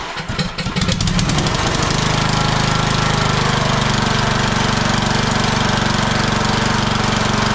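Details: Husqvarna YTH18542 riding mower, 18.5 hp single-cylinder Briggs & Stratton Intek, 42-inch deck, started with choke after a no-crank fault: catches after a few cranks and settles into a steady, even beat with no misses; normal running.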